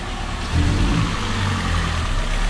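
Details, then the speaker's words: Peugeot 206 three-cylinder at idle after repair: smooth, even low rumble with no stumbles, dips or exhaust pops. Vibration and catalytic converter explosions gone; normal idle. "e já mudou completamente o motor já não vibra mais olha como na lenta olha o motor como que tá ah tá e não fica mais caindo rotação"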